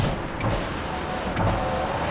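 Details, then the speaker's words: 2018 Chevy Silverado rear sliding window, whose fuse had blown instantly from a short. The window opens and closes when tested at the switch circuit, with a steady, smooth motor hum. The window drive is normal, and the fault lies elsewhere in the circuit. "Hey, the window opens and closes."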